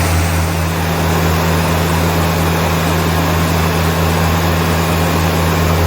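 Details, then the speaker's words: 1975 Land Rover Series 3, newly rebuilt engine at operating temperature held at about 2,500 rpm for a 20-minute run checking for leaks and noises: strong, even low drone with no tapping, knocking or grinding; normal fast idle. "Once the engine got up to temperature, then increase the revs up to about 2,500 and let it run like that for about 20 minutes, just checking for any leaks and any noises or anything out of the ordinary."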